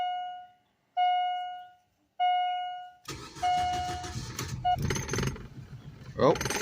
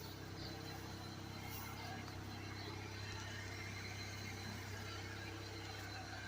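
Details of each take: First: 2004 Suzuki Forenza first start after six to eight years sitting, new fuel pump fitted (old one clogged), old gas siphoned and four gallons fresh added; three chimes, then rough, surging, stumbling idle still burning old fuel in lines. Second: 2004 Suzuki Forenza that sat 6–8 years, running after a new fuel pump and fresh gas, with old fuel still clearing the lines. A quiet, even engine drone with no misses or knocks, a normal smooth idle.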